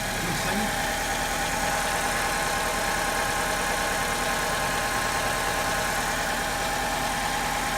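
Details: 2002 Alfa Romeo 2.0 Twin Spark 16-valve (147/156) petrol engine idling unevenly with an irregular stumble; misfire at idle and acceleration, traced to a faulty ignition coil that looked perfect and sparked but failed under load.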